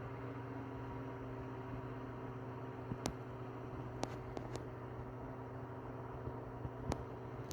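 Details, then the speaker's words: Tatung LA-12 12-inch 3-speed oscillating desk fan from about 1980, repaired after being seized with a blown thermal fuse, running on low: a quiet, soft steady motor hum with gentle air hiss. "quiet on low actually"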